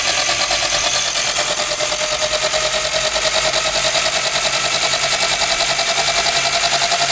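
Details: Single-speed electric bike conversion with 20-tooth rear sprocket, after repositioning the tensioner to stop chain skipping under high load: motor whine rising under throttle over a steady chain whir, no clacking or skipping.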